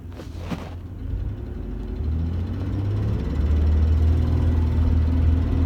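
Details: 1996 Ford Ranger 3.0, 139k miles, revving from idle: faint quick tick about four per second in low rumble; louder under load, slightly quieter when warm; engine ticking, cause unclear.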